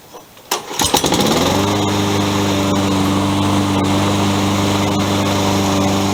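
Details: Toro 20374 self-propelled mower after replacing plastic-gear rear drive wheels with metal-gear wheels and new pinion gears that had stripped and ground; now drives with a smooth, steady hum, no knocking, grinding or skipping; runs healthy.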